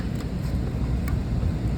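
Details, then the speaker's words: Carrier HVAC serving a restaurant kitchen that was at 81°F: a steady low hum from the compressor and fans with no rattles, squeals or short cycling; the back-of-house unit is now cooling normally. "Now we're cooling."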